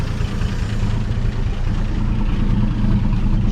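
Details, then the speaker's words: 1958 Chevy Apache running after 20 years sitting, no muffler, oil pressure about 40 psi at idle, slight electric tick noted. Loud, deep rumble at idle with a raw, unmuffled bark. Open exhaust idle. "let's a rev up some still got a little bit of electric tick but it should work out as far as I know"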